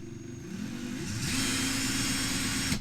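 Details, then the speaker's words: Ryobi 18V ONE+ cordless drill in drill mode, variable-speed trigger squeezed progressively: motor whine climbs smoothly in pitch as speed rises, then cuts off cleanly; normal ramp-up. "So I'll start off slow like this, and as I press harder,"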